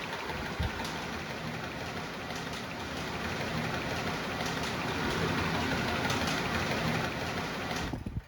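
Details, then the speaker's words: Panda 3.5 cu ft portable dryer, about 6 years old: steady tumbling drone with loose, uneven rattle about three times a second from a stretched, torn fan blower belt slapping; belt replaced. "I have a 3.5 cubic foot dryer that I got about 6 years ago or so. And uh recently it started making some rattling noise."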